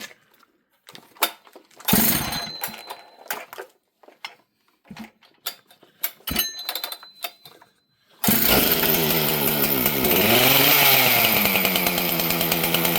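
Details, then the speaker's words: Chainsaw just built, started on full choke after a couple of pulls: fires and runs high and slightly hunting with a thin screaming note; mixture a little lean, carburetor to be tuned. "Okay, friends. This thing's a little bit lean."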